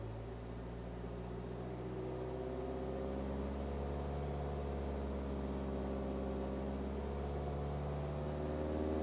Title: BMW 318d E91 2010 a strange humming sound above 2000 rpm